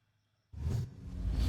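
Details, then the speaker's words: Xbox 360 fat disc drive after rails lubed with lithium grease, reads discs fine: loud rushing whirr then thin high whine as the laser runs along its rails; noisy seek, cause unclear. "It's just a little odd cuz I did lube the rails. I wonder if I need to go in and maybe just pull the laser back and forth a few times to make sure the rails are lubed"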